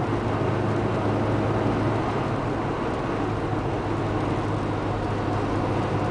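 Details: Fiat Tipo 1.4 i.e. cruising on highway at about 90 km/h: constant heavy drone and road roar, sounding like 120 km/h; excessive engine noise, no clear knock, cause not evident.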